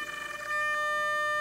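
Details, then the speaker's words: SIG Kadet LT-40 rudder servo, which also steers the nose wheel, under test: a steady, strained high whine holds after the servo stops because the servo arm hits the pushrod; binding. "the servo binding and what you see is is that this part of that arm is hitting the rod right there"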